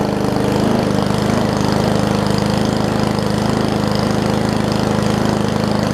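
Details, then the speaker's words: Murray push mower with Briggs Classic engine, governor spring apparently missing, throttle pulled out by hand for higher rpm: loud, even, fast firing beat, steady pitch, no misses or knocks; running smoothly at raised rpm. "the throttle here looks like it's missing the governor's spring so well if i just want to pull this throttle out a little bit more just so that it has a little bit more of an rpm to it"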